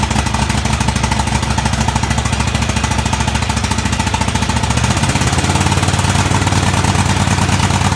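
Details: Craftsman DGT 6000 twin-cylinder engine after reassembly (new fuel line, fuel pump mounted), first run: fairly even low putter at idle, no knocks or misses, settles and runs smoothly — normal idle.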